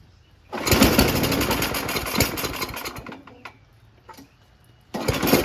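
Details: Free Noma Murray Snow King 27-inch two-stage snowblower, 9 HP Tecumseh, after HIPA carburetor replacement, started on choke then mid-throttle: fast even buzz, brief dip, then steady running; carburetor works, full throttle runs very high, needs adjusting.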